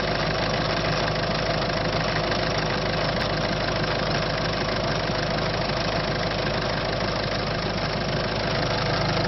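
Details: Citroën C5 1.6 HDi diesel with loss of power, steady idle with a loose ticking knock at roughly three beats a second on top; abnormal engine noise, cause undetermined.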